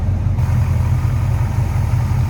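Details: 1969 Chevrolet C10 V8 with aluminum radiator and dual electric fans, normal idle: a deep, even, steady rumble with no knocks or misses; running smooth and healthy.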